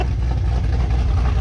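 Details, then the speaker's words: 6th-gen Camaro ZL1 V8 with aftermarket cam, freshly started, about 15 seconds of running, not yet at operating temperature, tuning unfinished: deep, loping, choppy cammed idle, no knocks or ticks; normal. "It's starting, you can hear the cam a little bit now. There we go. There's the cam."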